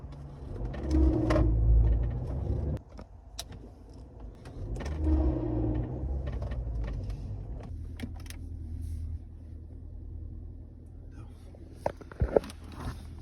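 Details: Ford Grand C-Max pulling away: a low whooping whine rises and fades twice over road rumble. The selling garage could not replicate it, and the source is unknown.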